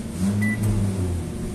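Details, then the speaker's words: LG microwave oven after its control board repair: the interior light no longer flickers with the door open, and on an 11-second test it runs with a steady, even low hum without shutting off, now working normally. "Bueno no se apagó empezó a trabajar Bueno amigos el problema de la tarjeta ya quedó resuelto"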